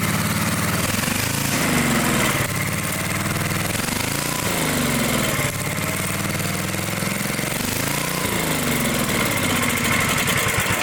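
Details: Dayton generator engine, unused 30 years: runs only on choke, surging up and down every couple of seconds, never settling; fuel-starved carburetor.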